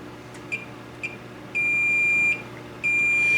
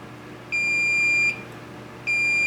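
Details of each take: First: Multimeter continuity test on the horizontal output transistor removed from a K7000A 25-inch arcade monitor chassis that was involved in a fire: short chirps, then a long steady high beep; the HOT is dead shorted. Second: Multimeter continuity check after fitting the replacement HOT on a K7000A arcade monitor chassis: two clear high beeps, each under a second, on the two ground pins; the center pin is not grounded.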